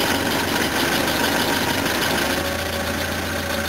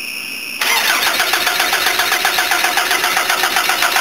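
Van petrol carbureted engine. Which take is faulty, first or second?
second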